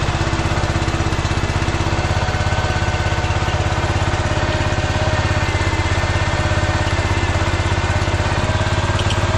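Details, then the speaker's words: 14 hp Kohler K-series air-cooled engine on a 50-year-old Cub Cadet 1450 Hydro, after fixing the condenser mount and resetting carburetor screws to factory settings, hot: steady, even low single-cylinder thumping, smooth with no misses or surges; runs pretty good. "it runs pretty good it just ran that tank out of gas and I'm kind of jammed in here between the car and the thing but it works"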